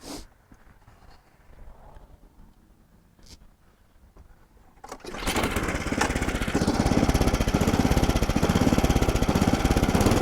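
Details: Older Craftsman SnowKing snow blower single-cylinder engine after oil drain and refill, new spark plug, Sea Foam and WD-40 treatment: fires and settles into a steady, even beat about three a second; normal healthy running.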